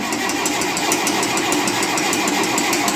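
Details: 1958 Oliver 550 diesel tractor after reassembly, started outside and running with no smoke. Even clatter with steady pulses about three times a second and no stumbling: a normal, healthy diesel run.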